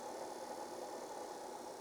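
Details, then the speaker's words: Apple Disk II floppy drive on a bench supply, during repair of its speed control, after the speed potentiometer was adjusted: a steady, even spindle hum with a faint constant tone near 800 Hz and no wobble. The tachometer reads 707–791 Hz, so speed control works. "and it absolutely is working perfectly it's now going 707 hertz 791 definitely speed control is working"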